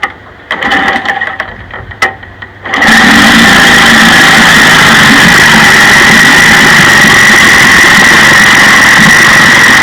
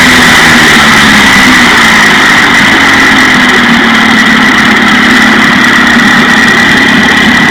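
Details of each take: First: 1956 Johnson 15 HP two-cylinder outboard running: loud, uneven sputtering as the top cylinder misses fire, after the miss moved from the bottom to the top cylinder despite both sides jumping a quarter-inch spark gap. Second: 1956 Johnson 15 HP outboard after new points were fitted on the misfiring top cylinder: steady, even buzz at constant speed with no stumbles or missed beats, now firing cleanly on both cylinders.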